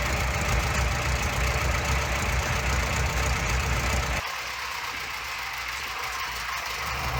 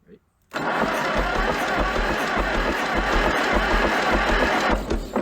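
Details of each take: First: Junkyard Minneapolis Moline ZAU tractor, old plug wires, untuned carburetor, unknown timing, blue smoke: deep even rumble with steady firing, dropping to lower speed then shutting off; fairly smooth with slight pop and miss. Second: Junkyard Minneapolis Moline ZAU tractor, water pump seized, belt off: starter cranks the engine at an even quick chug with little bite per stroke, suggesting low compression; doesn't catch, cause suspected not confirmed.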